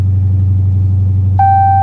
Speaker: that exhaust doesn't sound stock either